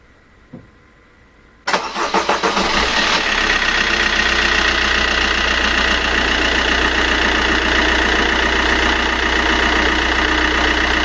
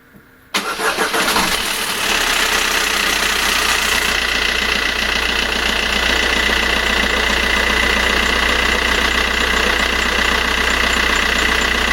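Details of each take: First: 1.3 diesel with a new timing chain, cold start: short crank, fires and settles within two seconds into a steady, even idle with no chain rattle; healthy cold start. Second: 1.3 diesel at cold start with the old timing chain: the engine catches, then fast metallic chatter rides over the idle, a stretched chain rattling.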